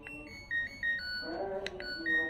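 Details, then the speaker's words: LG Smart Inverter washing machine control module, power indicator on but no display, previously failed repair by another technician: buzzer beeps sound thin and faint, weaker than normal, when buttons are pressed. "untuk display tidak ada tampilan tapi untuk bip-nya itu terdengar lirih atau terdengar pelan ya"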